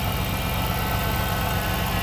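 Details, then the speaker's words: 2006 Chrysler 300 SRT8 V8 at idle after an intake manifold gasket replacement. Before the repair it ran rough with cold-start vibration; now it gives a deep, smooth idle with no shake or stumble. Normal idle. "Runs so smooth. Wow. Before, it was like a Mack truck. Purring like a putty cat."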